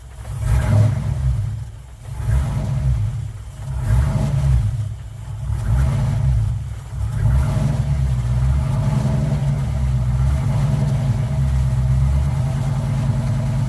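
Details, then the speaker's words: Car "Suzie" just after new starter fitted, started on a weak battery; a few throttle blips, then settled, loping, slightly lumpy idle sounding like a roller cam; starts and runs healthy. "You heard it, it sounded like it had a roller cam in it. But hey, Suzie is running. She fired up right away, no problem."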